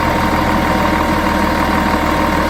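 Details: Volvo Olympian bus, D10A-245 diesel engine: steady idle with low droning pulse and fixed mid-pitched tone on top; weird abnormal idle sound, cause not clear.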